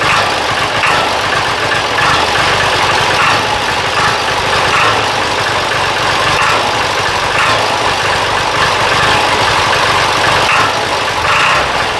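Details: Diesel idling after injection pump timing check and injector bleeding: steady rattle with a dull, faint knock-like sound underneath, no clear pattern. Cause unclear; throttle response also feels weak.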